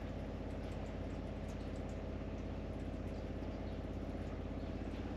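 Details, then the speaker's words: Caravan water pump after quietening work, seating back in place: soft low hum with faint patter, no rattle; down from about 57 dB to about 40–42 dB, a lot quieter than at the start, normal running. "overall that is a lot quieter than when we started off which was the whole purpose of having a look at this"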